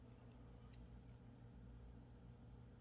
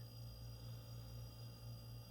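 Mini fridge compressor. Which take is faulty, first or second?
first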